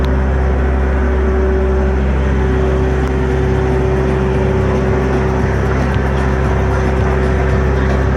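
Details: Cummins ISX15 heavy diesel idling with deep rumble and steady droning tone from a failed turbocharger.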